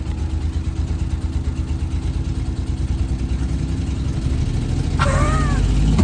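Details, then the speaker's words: 1988 Daihatsu Hijet mini truck, left sitting for years after breaking down, finally started: engine idles low, lumpy and uneven, running rough; carburetor adjusted a little more and idle became slightly smoother; cause not confirmed. "all right it's running rough I turned the carburetor a little bit more it's idling a little bit smoother"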